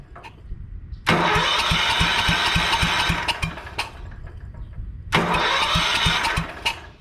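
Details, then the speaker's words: 1971 Wheel Horse tractor with a 14 hp engine, first start attempt after mounting and wiring: two bursts of steady cranking at about four turns a second without catching; owner suspects a bad starter connection and will clean it. "it cranks i can already tell our connection at the starter is not good so i'm going to tear the battery off quick and i'm going to clean that guy up"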